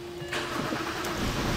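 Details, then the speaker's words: 2007 BMW 328i, N52 engine, crank-no-start: engine cranks evenly but never fires, coasting on residual rail pressure; scope shows no power supply reaching the fuel pump. "it is still trying to start because it's got a little pressure in the rail from our previous test but we can see we've got no power supply to that fuel pump"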